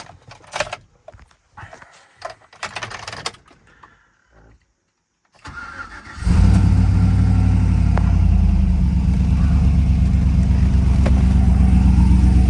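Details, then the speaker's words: Rebuilt Tahoe V8 with BTR V2 stage 2 cam, LS7 lifters, long tube headers, replacement machined heads, stock converter, 4L60 transmission tuned; starter catches, deep even idle settles as idle comes down, no knocks or misses; normal cold idle, sounds great. "This sounds great too. There we go. The idle's coming down now."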